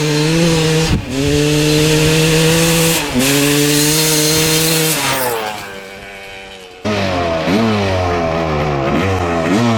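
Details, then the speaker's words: 1995 Honda CR250 two-stroke with the original CDI and stator refitted, previously bogging: sharp blips climb and fall back cleanly with no stumble or hesitation. It now runs well with no bog. "so now both the CDI and the stator swapped out with the old one still runs good no bugging"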